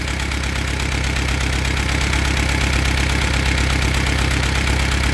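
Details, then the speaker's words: Allis Chalmers B tractor engine, test run before teardown: rough, uneven idle with a recurring stumble; owner suspects a fouled number one plug or a distributor issue, misfire unconfirmed; rear main seal also suspected leaking. "either fouled out number one, or I got an issue in the distributor."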